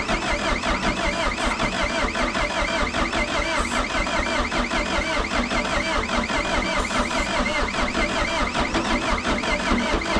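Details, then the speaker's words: 1988 Caterpillar D4C bulldozer diesel on a new battery, just after its first start this year: rapid, even clatter at steady speed with no misses or knocks. Normal running. "let's see do you turn over [Music] it's actually the first time starting us this year"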